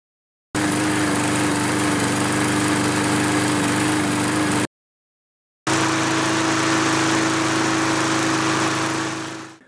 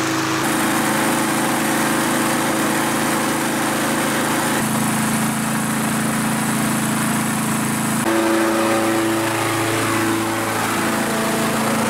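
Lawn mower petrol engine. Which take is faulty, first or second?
first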